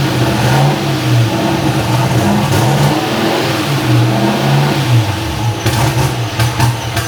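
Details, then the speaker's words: First startup of newly installed cammed LS V8 with insulated stainless exhaust: starts instantly, lumpy loping idle with clean throttle blips, no knocking or ticking; oil pumping, smooth, running good; normal running. "Sounds like it's smooth. It's got oil. It's running good."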